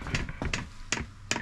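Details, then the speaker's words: Vevor diesel heater newly installed in a container shop, first start with an empty fuel line: sharp, even clicks about two and a half per second over a quiet room; dosing pump ticking normally while priming fuel. "Oh, there's the pump. There's the pump."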